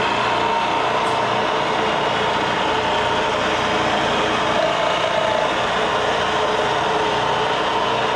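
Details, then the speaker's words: Bridgeport mill 2J head after a rebuild for a failing bearing, on a mill with castings bent by a forklift: steady, even high-pitched spindle hum with a slight whir and no knocking or grinding, still a little noisy but much better. "still a little noisy but not near as bad as it used to be so let's get back to work"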